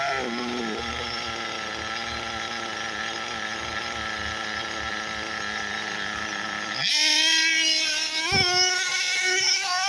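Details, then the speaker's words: SH PT21A0 .21 nitro engine in a Hyper 7 RC car with 2035 pipe, warmed up, high-speed needle richened to avoid lean bog: high steady buzz rising and falling cleanly with throttle, good smoke trail; healthy. "now we have remember we're always looking for a nice smoke Trail which we certainly are getting our engine sounds pretty good we're going to listen for that lean balls right for right now she's she's looking happy"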